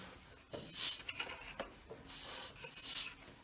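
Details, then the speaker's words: Allmand TLB-25 backhoe lawnmower engine, crank rocked by hand: sharp airy hisses of compression blowing out just below the head, a blown head gasket. "hear that hissing I'm just moving the crank back and forth and just like on that Craftsman feel it blowing air right out of there just below the head so it's definitely a blown gasket"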